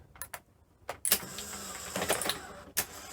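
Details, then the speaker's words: Sony SL-C20 Betamax after front loading system and reel motor work: a few clean clicks, a short motor whir and a final clunk as the tape seats. Normal cassette loading. "Sounds good though."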